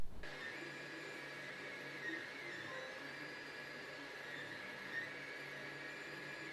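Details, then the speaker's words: Ender 5 Plus 3D printer on the original stock mainboard, before installing the silent TMC2208 board. A thin, steady high-pitched stepper motor whine, peaking around 1,100 Hz, sits over a soft fan hum; this whine disappears with the silent board. "now the difference in the two Clips obviously is not the fan noise in the background but that high-pitched sound that we get from the motors you don't hear that on the silent board anymore"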